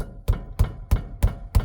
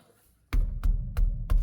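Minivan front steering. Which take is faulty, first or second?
first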